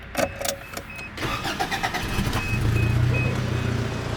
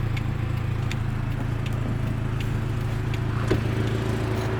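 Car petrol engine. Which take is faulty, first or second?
second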